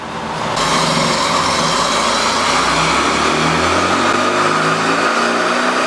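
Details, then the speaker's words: Neglected 1600 dual-port air-cooled VW Beetle flat-four on dyno after ignition advance fixed (about 32° total), full-load pull: loud, steady, smoothly climbing roar, no misfire or knock, oil pressure fine; about 52.5 hp and 87 torque, healthy run. "Clean sounding better sound something yeah and the oil pressure is still fine yeah"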